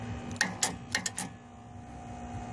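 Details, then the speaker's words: Genie lift speaker tower with safety limit switches bypassed: about five sharp solenoid clicks with no motor running; the few-years-old battery is suspected too dead to drive the lift, and the owner plans to swap it. "this battery is too far dead to actually run it up and down but I now can you can now hear the solenoid click anyway"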